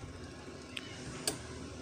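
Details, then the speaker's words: LG WP700N twin-tub washing machine that trips the MCB when switched on; soft crisp clock-like ticks as the dryer timer winds down normally; timer checked and found working. "cek timernya ternyata timernya itu berfungsi dengan baik untuk timer mesin pencuci tapi suara tekek itu nggak terlalu kenceng banget gitu"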